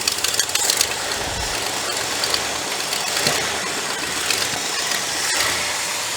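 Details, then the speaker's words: Cobbled-up 390 engine idling in a car just brought back to running: steady airy hiss over a faint uneven idle, likely a vacuum leak somewhere at the back of the engine; heavy blow-by also noted. "now while she's running idle probably not massive vacuum leak on the back of that on the back back here somewhere i got to dive into that"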